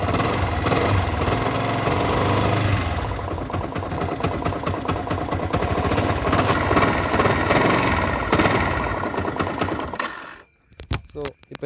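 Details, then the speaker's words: Yamaha R15 version 1 single-cylinder at idle: fast, dense metallic ticking rattle throughout from the timing chain; check the timing chain tensioner first. "இப்போ நீங்கள் கேட்டிங்க sound, இந்த sound வந்து எதனால் வருதுன்னா, இந்த சவுண்டு வந்து அஃப்கோர்ஸ் டைமிங் செயினால தான் வருது."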